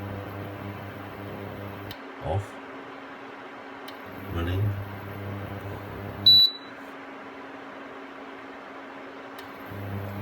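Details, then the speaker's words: Aldi Ambiano single induction hob set to 600 W: low coil buzz cuts in and out every two to three seconds over a steady full-speed fan hiss, as the coil cycles on and off at low power. "And now at 600 watts, you can hear the buzzing noise switch on off."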